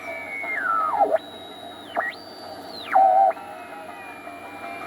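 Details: Crosley 157 antique console tube radio with temporary replacement electrolytics, first power-up: clean gliding whistles sweep in pitch as the dial crosses a station over faint hum; tuning heterodyne squeal, signal path working.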